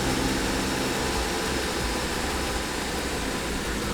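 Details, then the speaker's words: BMW F15 X5 xDrive35i, N55 engine, after violent shaking while passing, check engine light flashed: uneven, lumpy idle stumbling several times a second, smells rich, one cylinder deactivated; misfire, cause unconfirmed, possibly a failed spark plug. "But it's running terribly. It smells really rich, and we got a deactivated cylinder."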